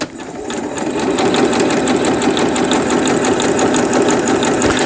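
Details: Riccar Quilt Made sewing machine after repair, with upper and lower thread tension adjusted: even stitching clatter at about three stitches a second over a steady motor hum, smooth and unlabored, running normally.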